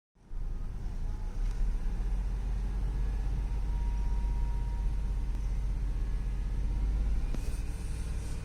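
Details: Range Rover at idle with no DTC stored in the ECM: a deep steady rumble with an uneven, loping beat underneath, about four pulses a second. Sounds like a cylinder misfiring.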